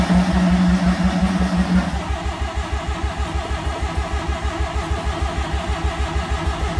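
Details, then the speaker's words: Mazda 323 with turbo 13B rotary on an ECU taken from an RX7: starter cranks in steady beat about three pulses per second, engine never catches; crank no-start, owner suspects overfueling from the ECU tune, unconfirmed. "Yeah, well, it's still not starting. I reckon it's overfueling, and it has everything to do with that ECU or the tune that's in it."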